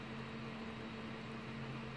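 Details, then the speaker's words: Replacement 500 GB laptop hard drive taken from another HP, fitted to an Acer laptop that froze on the splash screen, replacing a squeaky drive: steady low even hum, no squeak or clicking, spinning normally. "you can hear this one here it sounds pretty sweet maybe you can hear anyway"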